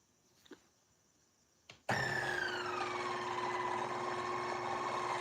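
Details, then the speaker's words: Fellow Ode Gen 2 coffee grinder with intermittent seizing, grind setting backed off to six: loud rough grind with a falling whine and harsh scraping when running; burrs seem to be moving and impacting, cause unconfirmed. "Somehow the burrs are moving and they are sounding like they are impacting in some way."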